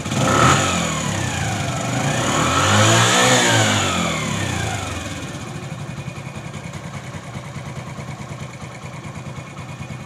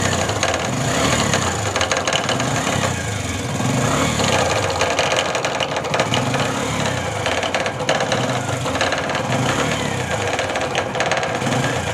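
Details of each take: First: Bajaj CT 100 motorcycle, about 17,000 km, after repair with engine oil refilled and silencer tightened: clean, even revs climbing and settling with no tapping or knock under the exhaust; customer had complained of strange engine noise. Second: Bajaj CT 100 motorcycle with 17,000 km, idling steadily with a rapid, uneven metallic knocking inside the engine case; loose balancer weight striking the cover.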